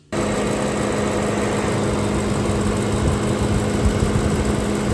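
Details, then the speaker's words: BMW E90 M3 electric radiator cooling fan running: a loud, constant droning hum with a coarse, rough edge and unchanging pitch. Failing fan, to be replaced with a modified F30 N55 fan. "I assume you clicked on this video because you're probably experiencing the same issue that I am. When your fan's on, it sounds like this."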